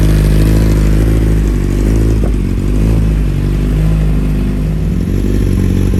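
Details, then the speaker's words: 2020 Kawasaki ZX10R with a newly installed slip-on exhaust. Loud, deep burble with uneven, stumbling pulses and a brief crackle as revs dip, plus flames. It runs rough at low RPM; the owner suspects the ECU needs a tune for the exhaust, unconfirmed. "I think a bike might need a tune now with the ECU having that exhaust like that because it breaks up a little bit in low RPMs"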